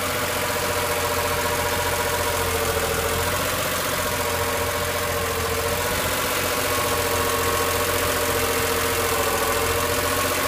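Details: BMW E46 M3 idling: a steady whirring whine from the engine bay, wavering slightly in pitch.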